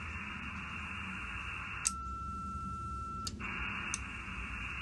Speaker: you can hear the little relay ticking in and clicking out